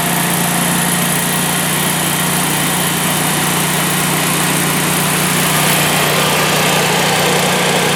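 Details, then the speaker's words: Generac natural-gas home standby generator, manually started: loud, steady, even engine drone with a firm low hum and no knocks or misses, quieter with the lid closed; normal healthy idle. "It does quiet down some when you close the lid, you can see."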